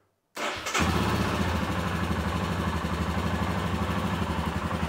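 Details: Royal Enfield Himalayan 411 after fixing a fuel pump that wasn't priming (cranked but wouldn't start): brief crank, catches at once and settles into a steady, even single-cylinder thump at idle; starts and runs cleanly.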